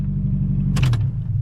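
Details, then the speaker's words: 1997 Toyota Tacoma four-cylinder, rebuilt $500 wreck, after radiator repair; deep, steady, somewhat loud and obnoxious exhaust rumble, even and smooth with no misses or knocks: normal running, loud exhaust. "She's alive. She sounds pretty good, maybe a little obnoxious, but you know, that's kind of how it is."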